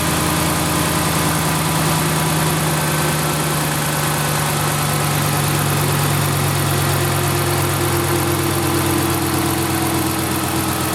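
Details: 2010-2019 Dodge Ram 5.7L V8 after water pump replacement and vacuum coolant bleed, warm near 200°, thermostat open: steady even idle, smooth low hum, no knocking, ticking or grinding; failed pump's noise gone.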